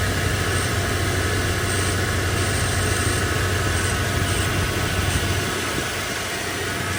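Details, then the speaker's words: 1998 Toyota Tacoma 2.7 with suspected blown head gasket: rough, uneven idle like a misfire until it clears, blowing smoke at first and losing coolant with no external leaks; bore scope planned. "yep I think we got a blown head gasket it starts rough like it's misfiring until it clears up and then it starts blow BL this smoke out at first and going and we're losing coolant"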